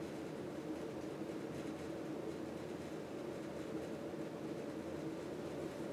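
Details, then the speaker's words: 38-inch Fasco Olde South ceiling fan on high: steady hum with faint buzzy rattle from the schoolhouse glass light globe vibrating in its holder; fan well balanced, little wobble; some dry bearing noise and slight switch housing rattle also noted. "Not much wobble, as the fan is pretty well balanced. Also, there's a little bit of vibration coming from the light globe."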